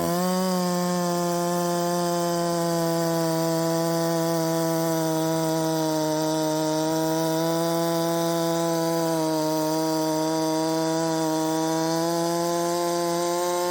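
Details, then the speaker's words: 372XP clone chainsaw with a full key's width of ignition advance, cutting wood: steady buzzing tone stuck near 10,000 rpm in the cut, sluggish under load; owner suspects too much timing advance and will back it off. "she still ain't nothing special barely getting 10 000 in the cut that's uh that's pathetic I guess maybe I've got too much timing at this point"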